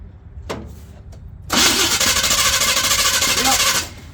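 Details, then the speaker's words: Square-body Chevy Blazer, off the road 20 years, primed: steady cranking about two seconds, never fires; fuel pump good but no fuel reaching it from the back, fuel starvation. "So, the fuel pump's good. Just no fuel back there. Just no fuel back there, which is fantastic."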